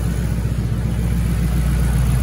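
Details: 2008 Mustang GT S197 V8, first startup after priming, following new cams and lifter and rocker arm work to fix a ticking: low steady rumble with even beat, no ticking or tapping; normal idle.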